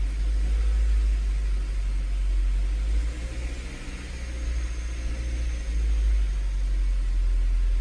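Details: Honda CR-V idling after an oil change: a steady, smooth low idle rumble with no stumble or skip; the earlier slight cold misfire is gone.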